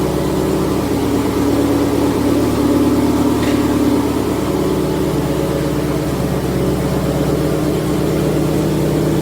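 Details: Subaru STI with TOMEI exhaust idling: steady rumble with faint rhythmic puffing from an exhaust leak, main source a flange showing carbon deposits, a smaller leak nearby; later sealed.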